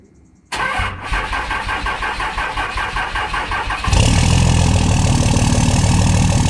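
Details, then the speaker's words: 2005 Cummins diesel Ram cold start at 45°F after sitting about a week: sluggish cranking about four compressions a second for three seconds, then catches into loud diesel idle with unusual smoke; owner suspects weak batteries. "I think my batteries are actually getting low I think I might need new batteries soon because it did take a while there to crank over"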